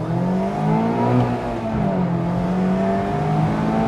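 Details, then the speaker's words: 2020 Mazda MX5 ND2 100th Anniversary edition, over 20,000 miles in two years, 11 track days: clean, smooth rev climbing and settling with even note, no knocks or rattles; healthy engine that loves to rev toward redline. "I love how this engine revs it just tells me that it wants the revs to be right up at the top all the time I feel like I can have this car near its red line all day and it just won't care"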